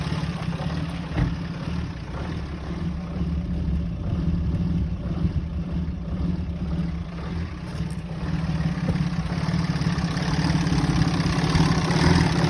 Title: Rough Idle